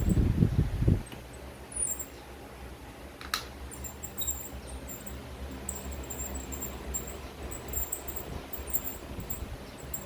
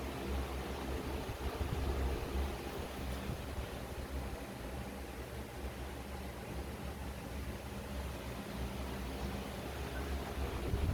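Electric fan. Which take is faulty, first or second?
first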